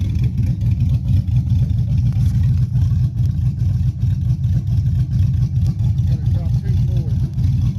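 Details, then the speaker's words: Chevy Silverado 5.3 V8 rebuilt after a bent rod: pistons 0.020 over, Summit stage 1 cam, beehive springs; a hung injector was fixed. Revving: a deep, loud open-pipe rumble with steady firing pulses rising and falling with throttle, no knocking. Healthy rebuild. "I'm gonna try to get the specs on this cam. It sounds good."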